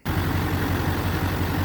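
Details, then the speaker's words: Duramax LBZ diesel after head gasket replacement (owner blames LBZ tick on head gaskets), all 8 injectors replaced and eBay EGR delete pipe fitted: smooth, even idle with steady low thrum, no ticking or knocking; normal idle, tick gone. "And you can hear we're tick free. And I also replaced all 8 injectors while we were at it."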